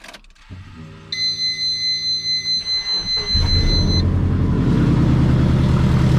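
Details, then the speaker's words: Twin-turbo Subaru Forester on new turbo setup, started after battery charge: dash chime, then engine catches into a loud, raspy, chuffing run from multiple exhaust leaks; sounds really bad. "let's see how loud this is from all of the exhaust lakes all right"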